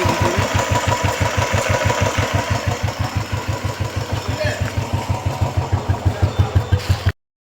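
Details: Royal Enfield Classic 350 after replacing piston rings, valves, valve guides and head gasket to cure a tick noise: a slow, even thump at about three beats a second with no ticking. Healthy single-cylinder idle.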